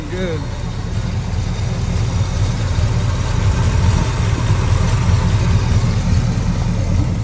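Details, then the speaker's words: 1970 Pontiac GTO V8 with dual exhaust, first start in years after pumping bad gas from the tank: deep, low, even rumble settling into steady idle with no knocks or misses; purring, running kind of quiet. Normal idle. "all right here we go he cranked right up he's running she's just sitting here purring looking"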